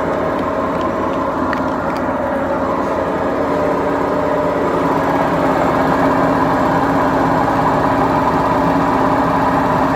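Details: BEKO washing machine, 7 years 8 months old, with bad bearings: loud, steady rumbling roar with a rough growl that never lets up while the drum turns, a drum bearing roar.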